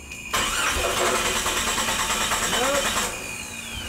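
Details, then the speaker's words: 1996 Jeep 4.0L cranking after dying during A/C service: steady brisk crank that never fires; spark tester at 20,000-volt gap shows no spark, failed ignition coil, not fuel pump or fuel pressure. "20,000 volt Gap we should have spark that's in series in line no no spark so had nothing there was nothing showing"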